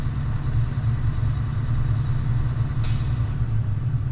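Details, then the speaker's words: Class A semi-truck in-cab pre-trip air test: engine revved to build air pressure from 85 to 100 psi in 45 seconds, then at about 120 psi a sharp short hiss as the air governor cuts out, working normally. "That sound you just heard is a governor cutout. It happens around 120 psi, which means my governor it is working."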